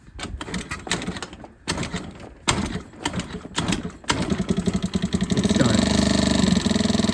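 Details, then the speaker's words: Chinese GY6 50cc scooter with a completely dead battery: won't electric start, only kick or jump start; several kicks with loose clatter, then the engine catches into a quick steady buzz. "I have this scooter which is not starting right now, and it can only be started by kick-starting the scooter or jumping the battery. As you can see, it's completely dead, doesn't start."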